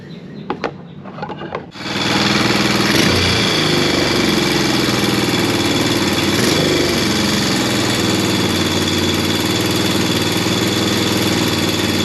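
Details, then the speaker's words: Early-2000s Honda Recon ATV single-cylinder after swapping on the cylinder head from the other quad, run on test gas: starts within two seconds, steady even idle with no misses, runs much better, no smoke yet. "you can hear this one that runs a lot better than the other one um it's not smoking yet"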